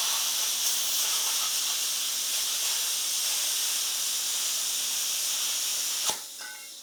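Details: YesWelder FIRSTESS MP200 5-in-1 in plasma mode at 30 amps on compressed air, cutting 1/8-inch steel, partly through old weld beads: a steady, even high hiss for six seconds, then a clean cut-off; normal plasma cutting.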